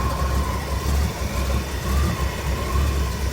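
Deep steady rumble with a gentle swell about once a second and a faint whine on top; the truck is idling fine.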